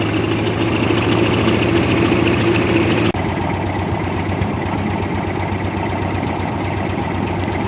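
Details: 1958 Oliver 550 diesel tractor: uneven lumpy chug about four beats a second with clattery note; blue smoke suggests burning oil, later whiter smoke suggesting incomplete combustion; owner suspects it may need a valve job; rough idle.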